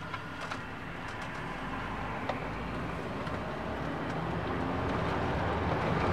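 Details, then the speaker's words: 2001 Volvo S80 rolling slowly out of the garage after replacing the front driver-side strut bearing and spring seat: low rumble and light taps, with the earlier turning creak gone. "I did not hear the creaking noise when i drove out from the garage now so that is a good thing"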